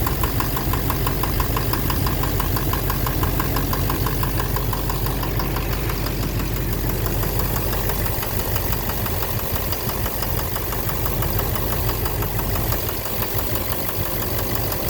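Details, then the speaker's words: 2009 Chevrolet Silverado 3500 Duramax LMM diesel dually, 59,900 miles, idling: deep uneven knock about three per second, heard near oil pan; owner suspects back of bottom end; oil analysis shows no abnormal wear metals; intermittent since 57,500 miles; cause unknown. "Sounds sort of like the bottom end. I don't know. Something. Like something in there. The back of the bottom end."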